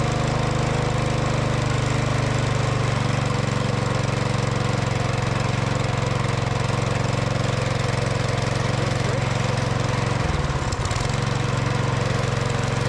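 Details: Older Craftsman MTD snow blower found with broken pull cord and no oil, after straightening the needle: small single-cylinder buzzes at steady, even speed with no stumbling or surging; runs healthy now.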